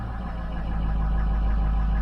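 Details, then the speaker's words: Pickup that shuts off whenever it drops below 800 rpm, despite replaced camshaft and crankshaft sensors. A low engine rumble sags and dies as the revs fall toward idle; the cause remains unknown. "see there it just shut off you hear it it's not running anymore isn't that cool it just flat out shut off"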